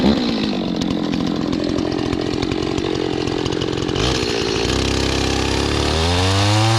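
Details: Restored old Stihl 026 two-stroke chainsaw after carburetor cleaning, cutting wood with a rusty, dull chain: strong steady snarl dips slightly as the chain bites, then revs back freely; oiling properly, chain loosening up, healthy saw.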